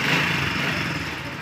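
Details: Honda CD 70 motorcycle after the spark plug was washed in petrol: the single-cylinder engine, started on the first kick, idles with a light, even buzz and no misfires or stumbling.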